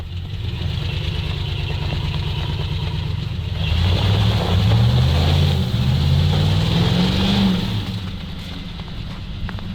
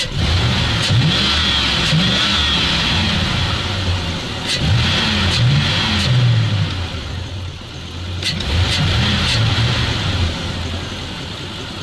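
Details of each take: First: ZIL truck (ZIL-Takh) after clearing a clogged line: deep, even engine note swelling smoothly under a brief rev and settling back, no misses or knocks; normal running. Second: ZIL truck (ZIL-Takh), run after a blocked fuel filter is removed, which made it better, revs unevenly, catching and sagging in surges; intermittent hesitation when revving, owner suspects fuel delivery or the pump, not confirmed.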